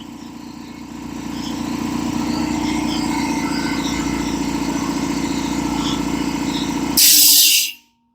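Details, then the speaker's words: Old air compressor revived after sitting unused: steady, rapid pump chugging builds pressure to nearly 140 psi, then a sharp hiss as the pressure switch cuts out. It runs normally, with no leaks, though a small unexplained rattle was noted. "Seems like it's doing air compressor things. It's doing everything it's supposed to be doing."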